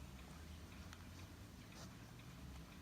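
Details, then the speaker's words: Sony SRF-M35 radio Walkman bought 2001: low steady hum with faint soft ticks, no crackle when turning the volume dial after a tiny dab of lithium grease on the control. "that crackling noise when I was moving this back and forth now stopped that's a very quick fix there"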